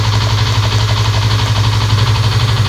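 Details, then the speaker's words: Fuel-injected motorcycle idling during ECU diagnostic scan, injector weakening: fast light metallic clatter over the low hum, constant with engine speed; cam chain rattle, chain not yet repaired. "kalau suaranya ada keletek-kletek. Itu suara dari Keteng ya, Guys."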